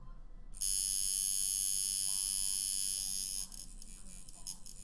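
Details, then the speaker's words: Tattoo machine packing color or shading on the arm: a high, even buzzing rattle in the air that drops and softens once the needles are in the skin. This shows correct needle depth and a good machine setup. "see and notice the the noise of my the sound of my machine when I'm in the skin the the sound of the rattle is going away am I correct that's because you're in there okay you're doing it right you have a good set up set up machine"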